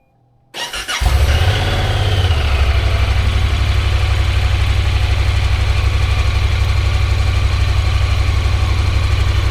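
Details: 2024 Honda Pioneer 1000-5 side-by-side at first service, started after oil and filter change with six quarts plus sub-transmission and differential oil: cranks briefly, catches within a second, settles into even, steady idle with smooth low pulse, no knocks or ticks.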